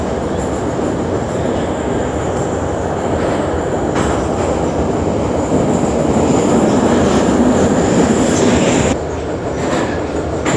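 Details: Kyiv Metro 81-717.5 car No. 10327 rolling on the Sviatoshynsko-Brovarska line near Beresteiska: loose rhythmic thump, about four a second, under heavy rail and tunnel roar, from a wheel flat.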